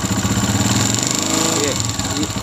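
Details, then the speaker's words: 2022 Honda CG125, silencer blocked so only the engine is heard: fast light tapping over an uneven idle putter, growing with throttle; a vibrating cam pin in the top end. "ये आवाज आएगी silencer बांद करो जैसे जैसे इसको accelerator तेज करते जाएंगे यह आवाज बढ़ती जाएगी"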